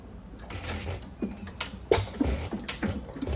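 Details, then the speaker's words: 5 HP Sattley hit-and-miss engine, recently bought and before tuning: irregular popping firing beats with uneven gaps over mechanical clatter. It fires far too often to reach speed, sometimes missing and sometimes not. Rough, inconsistent firing. "Sometimes it fires quite a bit just to get the speed to make it miss. But, as you can see, it's trying to fire quite a bit. Sometimes it does, sometimes it doesn't."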